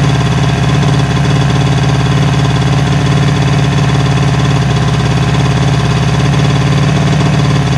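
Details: 1977 Suzuki GT185 two-stroke twin, abandoned and revived, on choke: loud, steady low buzz with a fast, even beat and no dropouts; normal running.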